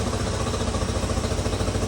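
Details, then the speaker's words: 1986 Honda CT110 just after a carburetor rebuild, idle mixture screw being turned 1/4 at a time to find where it stumbles: small single idle pulses start to sag and slow. Idle slowing from a mis-set mixture screw. "another 1/4, it's starting to slow down again."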